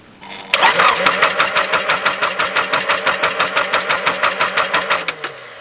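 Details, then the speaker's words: Truck sat two years, jump starter on dead battery: rhythmic starter cranking about three pulses per second for five seconds, never firing; cranks but won't start. "we got her cranking it just don't start that's not the jump boxes fault that's my fault for letting the truck set for two years"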